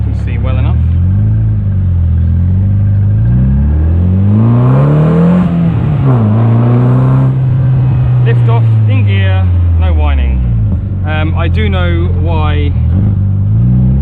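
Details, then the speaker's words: K-series MG Midget driven on headcam after replacing a whining differential with a lower-ratio one; revs rise and fall through the gears, clean on lift-off with no whine; the old diff was the cause, not the gearbox. "i figured i'll put you on headcam and show you just how good it is at 2r with the lower ratio diff it drives so much nicer"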